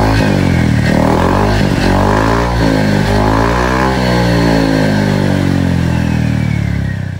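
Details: Honda Vario scooter with AHM Malaysia exhaust, previously noisy, after replacing the muffler glasswool packing; deep, mellow hum rising and falling with throttle, no harsh crackle or tinny edge, sounds fine.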